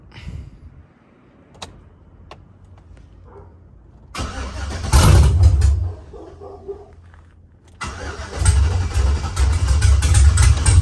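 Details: V8 truck after cylinder deactivation (DOD) was removed from the tune, which already had a mechanical DOD delete: catches after cranking and settles into a deep, slightly uneven lope on all cylinders, a mild cam chop, nothing wrong.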